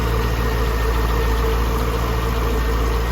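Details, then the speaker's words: 2002 Chevrolet Corvette C5 Z06, stock LS6 5.7L aluminum-block V8, after start-up: deep steady even idle rumble, no ticking, tapping or knocking. Normal idle. "Sounds good. No weird noises, lifter tick, nothing like that. Rod knock, none of that's going on."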